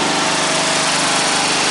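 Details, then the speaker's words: Freshly installed single-cylinder engine on a modified ride-on mower, battery just wired, throttle and choke cables not yet hooked up: catches after cranking and settles into steady even buzzing run; normal start. "Well, that's awesome. Well, it's a runner. That's good. Well, we knew it was a runner, but it's a runner on this."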